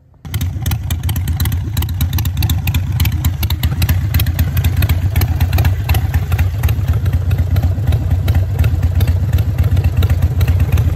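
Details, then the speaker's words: Harley-Davidson V-twin fitted with a manual idle air control valve in place of the factory IAC, with rpm turned down to low idle. Slow, loping, steady, even beat with no knocks or misses: normal idle. "I'm going to fire up the bike and uh drop the RPMs down so you guys can hear it"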